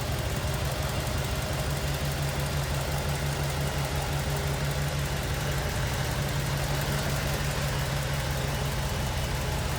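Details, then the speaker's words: 1947 Ford Super Deluxe Business Coupe with 12-volt system: low, even burble at idle with soft steady pulse, barely audible, no knocks or ticks standing out; healthy idle. "Barely hear that run."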